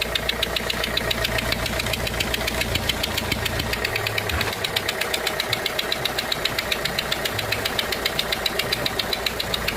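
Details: Renault 1.5 dCi diesel at idle: sharp, regular tick about four times a second as a leaking seal on one injector lets compression escape; compression loss from leaking injector seal.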